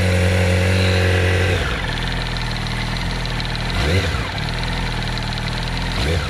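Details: 2007 Yamaha R1 idling with a light, fairly regular tapping knock, roughly four per second, over the engine note; owner suspects the camshaft or the clutch springs or basket, source undetermined.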